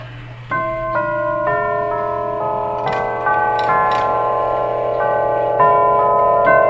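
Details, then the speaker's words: Herschede tubular chime clock set up in a customer's home, chiming the Whittington tune after adjustment; clear bell-like tubes ring in an even melody, each note clean and sustained; normal chime. "it sounds good that's the Wedington"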